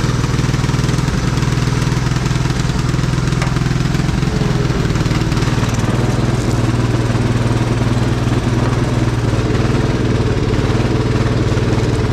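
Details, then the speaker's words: Old Cub Cadet riding mower, sat for years with a locked-up engine that has now been freed, running and riding: steady low, even drone with no knocks or misses at a constant speed, normal running. "got the engine unlocked got it running and riding around"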